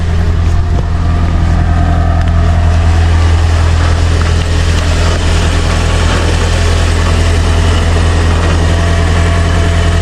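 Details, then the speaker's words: Car idling: steady low hum with a light, uneven metallic rattle from underneath near the rear, caused by a loose undercarriage plate. "So in today's video we have this noise coming from under the undercarriage of the car that we'll be trying to get rid of. So I'll just start the car so you can hear the noise I'm talking about. It's something that's loose probably."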